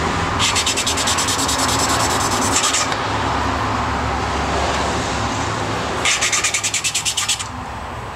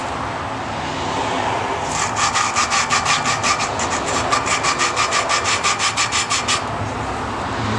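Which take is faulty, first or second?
second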